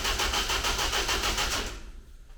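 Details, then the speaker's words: Ninety with a rebuilt, replacement engine, first start attempt with choke and good oil pressure: rapid even cranking at normal starter speed for about two seconds, engine turning over but no firing; spark and ignition timing to be checked next. "that sounds okay but there's no fire let me quickly check out this spark"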